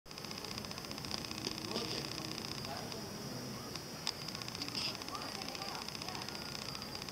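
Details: New Olympus TG-1 tough camera, bought 40 days ago and never dropped, recording in video mode: a faint, irregular light clicking of about two per second over a quiet outdoor background. It is a camera fault and the camera was sent for repair.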